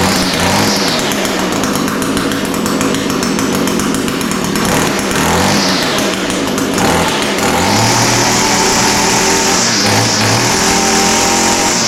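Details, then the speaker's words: Echo SRM 225 two-stroke line trimmer after the recoil starter was fixed and the coil replaced: a sharp buzz climbs and falls as the throttle is worked, then holds steady revs. It now starts and runs properly. "all right well that's a good sign obviously it started"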